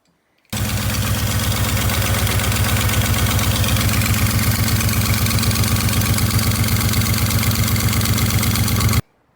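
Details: Pontiac V8 with timing chain, noise seeming to switch sides, run briefly with a valve cover off; quick regular clatter about four a second over idle, top-end noise, springs and rockers look fine, cause unknown.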